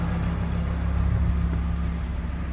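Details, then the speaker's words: VW Transporter T4 campervan after an exhaust rebuild: detachable slip-out assembly, new gasket, properly mounted, tailpipe ending at the rear bumper. Heard underneath at the rear, the idle is a deep, even, low rumble with no puffing, ticking or rasp. Quiet and sealed. "Alright, well, let's go and have a look underneath at the completed work and how quiet it is out the back. Oh, not very loud at all, are we?"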